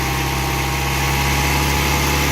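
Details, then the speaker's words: 4G63T engine in an Eclipse after fixing a cylinder three misfire (missing spark plug electrode) with fresh plugs, coolant and new fuel system: steady even idle, smooth low drone, no skip, running clean. "Wow well it sounds a lot better guys"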